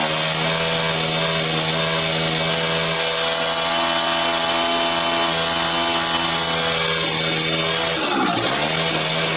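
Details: Motorized bicycle, turbo version 4, after jetting fixed: shrill steady drill-like whine holds pitch, dips sharply then climbs back on throttle blip; running cleanly.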